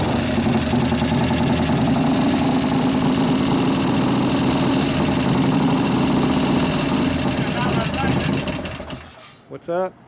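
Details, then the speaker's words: 1988 Harley FXR V-twin, hot idle with mufflers off: quick, busy lifter ticking about three per second, louder when hot because valve lash grows, not cured by 50-weight oil. "all right well the lifters are louder because the motor's hot is the motor hot now yeah guess what happened when it gets hot it grows get more valve lash"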